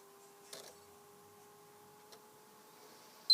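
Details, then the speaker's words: PS3 being reset to fix freezing problem: with system off, the power button is held until the third beep; a single short high beep over quiet room hum; console responding normally, power button beep sequence. "after this off you might want to hold this button until you hear the third beep first"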